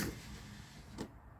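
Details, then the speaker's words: Toyota Camry with crank no-start and no-communication codes, after reconnecting everything (the fuel pump had previously run constantly): a soft electric whir for about a second that shuts off cleanly. The fuel pump primes and stops normally. "oh fuel pump came on and went off I got a little nervous because it came on and about stayed on but it had prime so that's that's a good good sign"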